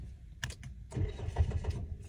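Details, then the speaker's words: Car engine cranking: a few slow, labored starter turns that never catch; battery measured at 11.7 V, too weak to crank the starter properly. "Jadi, macam korang dengar sekali lagi tadi, bunyi starter tapi tak hidup. Jadi kebiasaannya adalah bateri dah terlampau lemah untuk crank starter."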